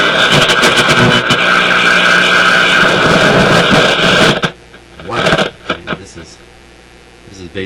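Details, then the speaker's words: Motorola MK-56R AA5 five-tube radio, powered up after bad tube replaced: loud crackly output with scratchy bursts that cut out, with background hum; very dirty volume control needing cleaning. "well one thing we're hearing is a very dirty volume control"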